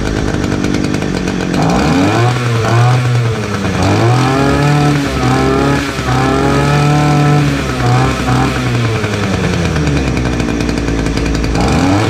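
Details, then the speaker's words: Titan two-stroke petrol multi tool strimmer, started on choke after new fuel lines and new spark plug; clean buzz rising and falling smoothly with throttle, no stumbling, some smoke, runs well, though its tank isn't venting properly. "Result, a bit of smoke in here, so I'll get outside and I'll come back in a minute. Right, there you have it, not bad."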